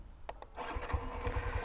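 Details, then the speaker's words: Fuel-injected Xtreme 125 motorcycle, key on and waiting about 5 seconds for the fuel pump to prime: a few light clicks, then the engine catches quickly into a steady low putter without throttle; clean, normal FI start. "Start কিন্তু হয়ে গেছে। এটা কিন্তু throttle কিন্তু টানা লাগে নাই।"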